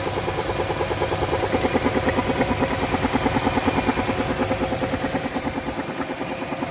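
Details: Classic GM G-body Pontiac engine running with a steady rhythmic pulsing thump, about three beats a second; owner unsure whether it is a misfire or spun bearings.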